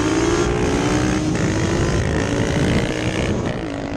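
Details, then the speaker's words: Yamaha Banshee two-stroke twin revving with ragged stuttering crackle as left cylinder cuts in and out; intermittent misfire, worsening since last weekend; carburetors resynced without help; cause not yet found. "I could hear it. I could hear the left cylinder coming in and out, which is really strange."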